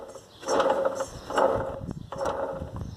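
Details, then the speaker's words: VW Gol with AP 1.6/1.8 engine, water pump not leaking: rough rasping grind in slow bursts as the pulley turns, from a worn, loose water pump bearing with visible play; pump to be replaced. "só que o barulho de bombas d'água está no começo aqui eu queria mostrar pra vocês só olha olha a folga da bomba d'água"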